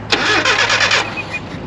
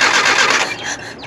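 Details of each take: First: Nissan 720 pickup, petrol four with manual transmission, revived after 20 years sitting, fuel flushed and tuned: blips and drops back to a smooth, even low idle about 550–600 rpm, clean revs, no misses; normal idle. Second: Nissan 720 pickup that sat for about 20 years: a short burst of starter whirring fades out without the engine catching. It cranks but won't start; an ignition issue is suspected and the carburetor is not running right.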